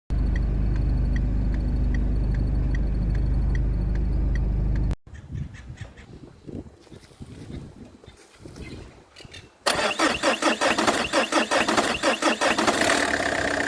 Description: mucho ruido en el motor del coche más templa todo el chasis del coche